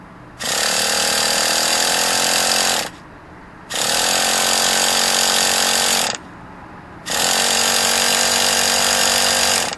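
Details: Traxxas T-Maxx 2.5 classic nitro RC truck, bought used, fifth failed start attempt after three days of trying: three harsh buzzing cranking bursts of about 2.5 seconds each, engine never catches.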